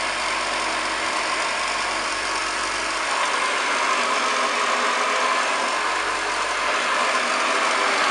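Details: Restored pre-war 1929 Hoover Model 725 upright vacuum with new belt, brushes and cable, made electrically safe: steady high-pitched motor roar with fine rapid brush flutter, even and unchanging; running normally.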